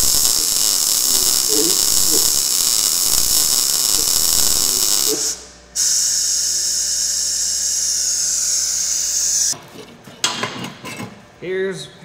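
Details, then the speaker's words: Blue Demon BLUEARC 140MSI 110V 140A MIG-stick inverter, synergic auto voltage, gas shielding on, wire speed turned up slightly, welding really thin steel; steady crackling bacon-fry hiss, even second bead, no holes blown; normal healthy MIG arc. "we're getting here I mean it's welding this really thin steel or really nice"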